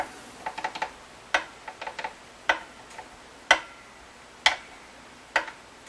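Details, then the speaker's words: 2021 Blueberry Epiphone 335 with tuning/intonation complaints and high action: light dry clicks of a fret rocker tipping at the 13th and 15th frets, showing high, uneven frets. "here's a little rocking already right here on the third fret okay we're a little bit of an issue there okay oh right here in the 13th fret"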